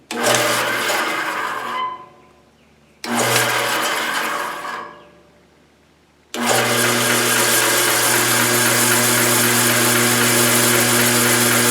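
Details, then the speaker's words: Bandsaw just fitted with new tires: spins up twice and coasts down, then steady hum with hissing scrape on top; lower blade guide rubbing the wheel, alignment off after tire change. "I'm gonna turn it back on I'll let you listen to that noise it's making a noise and I get to figure out what it is"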